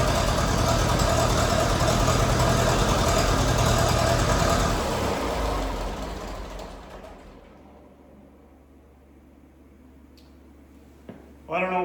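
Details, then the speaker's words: About 1947 Massey Ferguson TEA/T20 tractor, British Standard four-cylinder gas engine, after Zenith carburetor rebuild and fuel work; low idle RPM but running far better than on arrival. Even steady four-cylinder beat, then smooth wind-down, no misses or knocks; normal running. "RPM low idle is, but it doesn't sound that bad. And it's running like way better than when it came in here."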